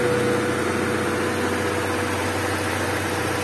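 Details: Honda Civic EG hatch with D15B SOHC engine at idle: a faint thin whistle steady above the engine, then fading into the idle; the owner believes it comes from the intake, unconfirmed.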